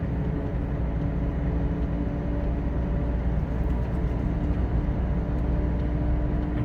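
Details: Steady, deep road roar and low drone at about 81–90 km/h, loud in the cab of a Toyota Revo towing a Suzuki Caribian fitted with four fairly new aggressive mud-terrain tires; the tire tread noise is clearly heard.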